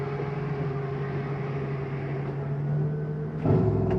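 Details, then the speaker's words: 2018 Superlite 29KSWS RV slide-out extending: steady low motor drone with a hum near 150 Hz, then a sharper strain and clatter as the slide reaches its end stop; the noise means it is all the way out; normal operation. "Again, noise means we're all the way out."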